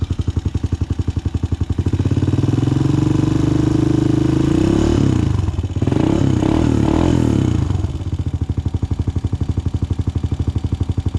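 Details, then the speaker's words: 2006 Honda TRX250EX after top-end rebuild (new cylinder) and fresh 10W40 oil: crisp regular single-cylinder idle thump, revving up cleanly and settling back smoothly with no clatter; healthy running, rebuild a success. "I think it's been a success. Sounds good. Nothing bad so far."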